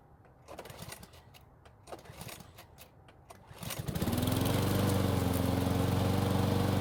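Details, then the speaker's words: Free curbside Cub Cadet mower after carb cleaning and flipping the blade right side up: several rattling pull-cord tugs, then the small engine catches and holds a steady, even drone; normal running. "So it took several pulls, but it finally started and ran for us."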